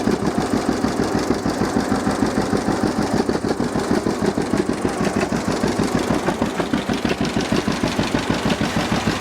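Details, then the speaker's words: 1950 John Deere GW two-cylinder tractor with live hydraulics, power steering and a Baker valve, in neutral: even, steady putt-putt at about three beats a second with no knocks or misses; normal idle. "so this is good running old g let's check it out a little bit just listen to it and i'll show you around"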